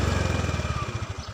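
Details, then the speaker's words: Honda Beat fuel-injected scooter: when throttle is applied the engine sputters in quick pulses, then slows and dies; it starts and idles at low rpm, but stalls under throttle from a throttle position sensor fault (loose socket, broken wire or bad sensor). "hidup kadang juga mati seperti ini jadinya ini kita gas diamati ya karena hidup kadang mati"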